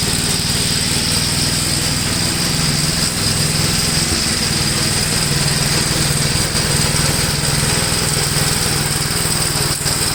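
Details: 1962 Gravely L/LI walk-behind tractor, single-cylinder, mowing a field after valve adjustment and carburetor tuning: steady putter at about four beats a second holding even under load; runs acceptably, valve adjustment improved running.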